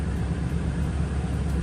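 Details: 2012 Toyota Tundra V8 started after new ignition coils and spark plugs: steady, even low rumble with no stumbles or dropouts, all cylinders firing; normal idle, not misfiring.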